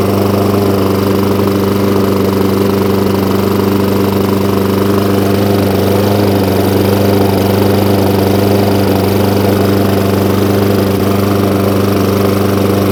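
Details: Hayter Ranger 53 lawnmower after bending the throttle spring clip forward: steady even high-speed drone with no hunting or surging; now holding full revs cleanly.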